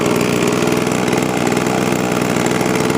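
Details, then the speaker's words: 20-year-old Sears Craftsman box-style two-stroke leaf blower, started hot with choke off and no priming: strong steady buzz, even beat, no misfires or surging, normal running. "Okay, got it fired up, ready to go."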